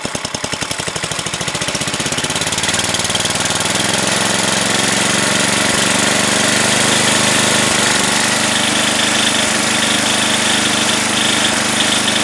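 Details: Craftsman 10 hp 28-inch snowblower, apparently after carb kit and head gasket rebuild, cold start: a few slow pops, then quickly a fast, steady, even hum while still cold; running healthy.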